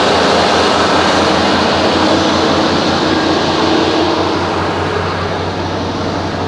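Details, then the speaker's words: 1989 Chevy K1500 Silverado with Denso starter: quick, even, crisp cranking about four beats per second, sounding unlike a typical Chevy starter, more like an old Maxima; normal healthy starter cranking. "I don't know, I can't figure out what car that sounds like. But it's definitely not an American. It sounds like, I don't know, maybe an old Maxima."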